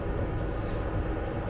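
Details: Vevor diesel air heater in a Fiat Ducato van, app showing room 20°C, level 10, combustion chamber 277°C, 100 m altitude: low steady combustion roar over fan hum, no surging or popping; normal running.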